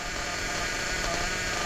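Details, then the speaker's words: New Hobao Hyper VS2 nitro engine during break-in, carburetor idle opened about a full turn: a high, buzzy idle holding steady without stumbling or heavy smoke, a clean break-in idle. "opened that idle up about a full turn. That's a lot. And it's running like that. So yeah, it ain't chugging smoke like the other ones have been."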